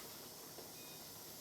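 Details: Pressure canner at 10 pounds of pressure near the end of a 75-minute run, just before being turned off; steady soft even hiss of steam venting, no sputter or whistle; canner holding pressure normally.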